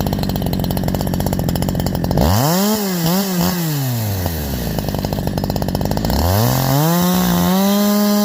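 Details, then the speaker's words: Holzfforma G372 chainsaw (Farmertec clone) after crankshaft seal replacement for a factory air leak that kept it from tuning, OEM carb fitted earlier; 24in bar, cutting hemlock: high revs drop smoothly into cut, hold steady, climb back cleanly without bogging. "I'm going to call that fixed guys I'm going to call that fixed I know I called it fixed last time too"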